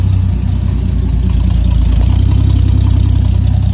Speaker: A little louder than I'd like, coming out on the side dump, but you can see there's a smile on his face.